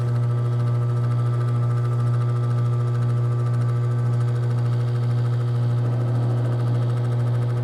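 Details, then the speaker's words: RV air conditioner after replacing the capacitor: loud steady low hum with no fan whoosh, unit powered but fan not turning and not blowing; owner suspects wiring may be connected wrong. "Is it getting cold? It's not blowing. Wow, I don't know what it is."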